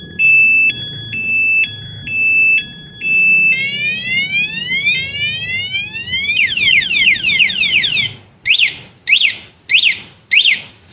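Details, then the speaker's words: HD remote alarm on a 2022 Honda Beat motorcycle, armed with the closed-padlock button (vibration mode): alternating two-tone beeps, rising whoops, chirps and repeated blasts; repeated shocks in a short time give a longer siren; normal. "Jadi saat ini dipencet sekali, motor ngeluarin bunyi sirine sekali, ini mode getar aktif. Jadi kalau motor terkena guncangan sekali, dia suaranya kayak gitu."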